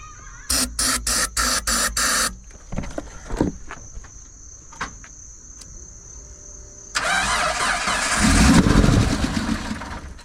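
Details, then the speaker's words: 1988 Jeep Comanche Chief that sat about 10 years, with a battery fitted. About six slow cranking pulses and a pause, then a brief ragged catch with a backfire pop before dying: it has spark but needs fuel. "Backfired a little bit in the fucking... Yeah, at least we know she has spark. Yeah, she just needs fuel."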